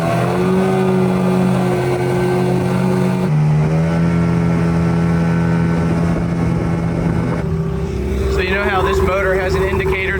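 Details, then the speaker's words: Brand-new unbranded Yamaha Enduro-style 20 hp two-stroke outboard under way on a boat after about 10 minutes' running: steady, even drone with a clean buzzing note and no skips, coughs or misfires; running healthy. "It I mean, we've only had it out for 10 minutes, but it seems to run solid."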